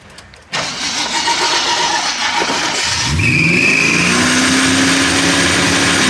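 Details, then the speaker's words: 1979 AMC Spirit AMX with a newly fitted aftermarket EFI system, started after a long crank to fill the fuel system. Revs climb and hang at a steady fast idle because the throttle linkage stuck open: high idle on startup. "that's what it is I was when I was playing with the throttle just got stuck out like that"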